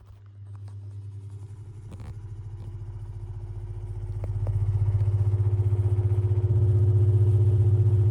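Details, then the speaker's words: Tatung fan on low speed, not yet oiled: low droning hum with steady throbbing beat about four per second from dry, worn motor bearings; still moves good breeze. "Again, one more listen to the bad bearings because it doesn't sound good."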